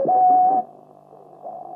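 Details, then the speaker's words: 1930s Volksempfänger VE301 valve radio after replacing brittle wires, with about 10 m wire antenna and earth: steady mid-pitched regeneration whistle beating against a station carrier, indicating a station is present. "We hear that usual whistling that indicates there"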